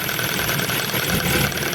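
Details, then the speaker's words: Ford Focus 1, 1.6 petrol, 2000, misfiring on one cylinder with power loss: with a plug lead pulled to about a 1 cm gap at idle, sharp fast ticking of healthy spark jumping the gap. "я роблю сантиметровий зараз примерно зазор там і оце чути що воно стукає це стукає то що пробиває Іскра"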